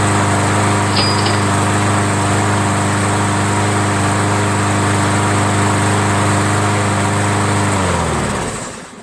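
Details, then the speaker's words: Roadside-found MTD 500E 21-inch push mower with Briggs engine, started on prime; owner suspected a dirty carburetor, later judged it clean. Steady, even buzz with no surging or missing, then a clean wind-down at shutoff. Normal running. "Wow, what the hell is going on here, man? Are people so rich out there that they just throw away a perfectly working lawnmower?"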